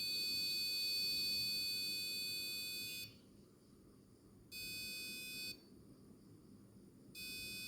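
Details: Arduino door alarm with reed switch and magnet, buzzer tone value changed to about 500: high steady electronic beep in long bursts with silent gaps; buzzer sounds when door opens, working.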